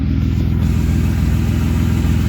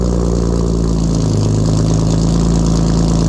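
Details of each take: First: BMW E36 running after torn ICV intake boot hose repair, cats deleted with M3 catless midpipe, slightly smoky: deep, smooth, even engine note, no knocks, ticks or rattles; normal running. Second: BMW E36 cold start with catless M3 midpipe, no muffler and no cats: deep booming idle with heavy low drone and raw exhaust rasp, far too loud; loud exhaust drone.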